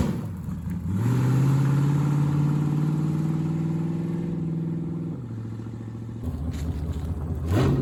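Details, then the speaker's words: 1973 Plymouth Barracuda, hopped-up 360 V8, old carburetor after sitting: revs up, holds, then sags and hesitates as throttle is worked again; lazy throttle response, rear accelerator pump suspected dead. "I think the back to I think the rear accelerator pump shot."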